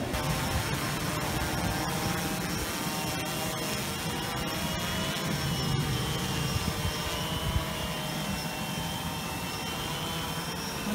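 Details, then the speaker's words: DJI Phantom 2 quadcopter after replacing a suspected burnt-out ESC (motor failed to spin after a crash), motors returning to idle before cutoff after a test flight: steady even prop buzz, smooth idle, no rattle or surging; motors healthy. "touch just bring it back to idle and it'll cut off the motors in about a second here goes"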